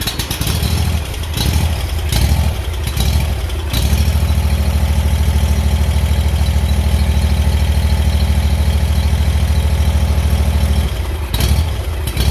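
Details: Kawasaki small engine on a Hustler mower surging at idle, speed dropping and picking up in waves; a missing carburetor cover (welch) plug leaves an open hole, suspected air leak causing the surge.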